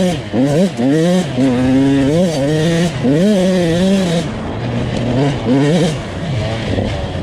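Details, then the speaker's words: Husqvarna TC 85 two-stroke with turbine core silencer and airbox venting, riding: muddy, hesitant revs at low rpm clearing up high in the pipe; running very rich, plug wet and black, jetting needs changing. "I think I need to go back and change my jetting it's bad bad bad"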